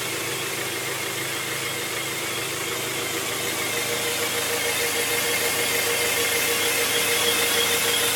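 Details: 1997 Honda Prelude SH: constant high-pitched whine from the transmission over steady idle; cause unknown, owner notes it differs from a previous bad throw-out bearing.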